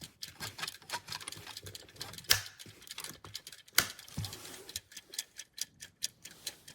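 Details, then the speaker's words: BN-LINK countdown digital in-wall timer switch: quiet, fast, steady dry ticking from the switch continues after the light is turned off while it counts down. This is normal operation before it shuts itself off. "the light turned off and you can still hear it clicking but it will shut itself off it's great works amazing has no issues for"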